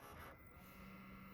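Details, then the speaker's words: Cheap used Xbox 360 console hooked up and powered on to test: quiet, steady low hum with faint fan whir, no rattles or grinding; normal running. "can't hear it running? And it's on. Check this thing out. Okay. So this does run."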